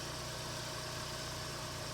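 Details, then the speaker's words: 2.4 Ecotec after low fuel pressure repair, running about half an hour, no check engine lights: smooth, even idle with steady low hum, no misses, knocks or ticks; normal idle. "let's see what she sounds like now compared to the last time no check engine lights everything's running fine"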